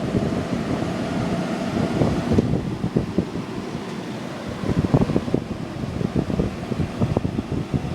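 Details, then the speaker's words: Vintage window air conditioner made June 1991 running: steady low fan rush and hum, no rattling, vibrating or bad bearing noise; works perfectly, normal running. "listen to that no rattling no vibrating no no bad bearings it works perfectly"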